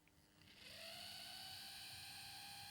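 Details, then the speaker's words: Dapol/Model Rail 0-4-0 Sentinel 'Molly' steam model locomotive at slow creeping speed: a thin high screech climbs in pitch as the motor starts, then holds steady and piercing, getting worse; a horrendously screeching motor. "Oh my word, it sounds like something from hell. Oh my word, that is the most horrendous noise."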